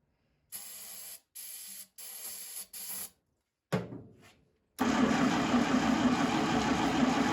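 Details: 1952 International Harvester L112 barn-find truck engine, cold, with low compression, fluid sprayed in and choked: several short bursts of cranking that never catch, maybe firing once or twice. The starter begins smoking and the coil runs very hot; cause unconfirmed.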